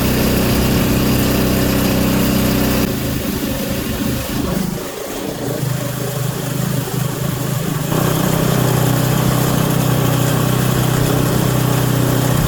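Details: Auction Craftsman Series 2 snowblower engine with points ignition, continuity checked: putters at a steady idle, dips briefly and recovers, then settles into an even beat with no misses or knocks; normal idle.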